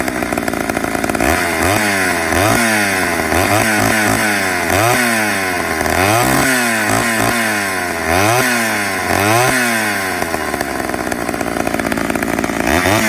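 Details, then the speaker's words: 1985 Homelite Super XL two-stroke chainsaw, after a cold start following a year unused: crisp snarl rising and falling with throttle blips about four a second, clean pull and even settle; normal running. "Got a good roar to it. Deep sound for a chainsaw. Too bad so far."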